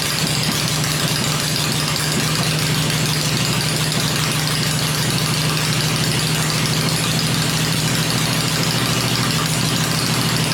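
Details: Rebuilt 96-inch V-twin with Edelbrock heads on an engine stand, with oil pressure: deep, steady beat at fast idle with constant loudness, no stray knocks or rattles; normal idle.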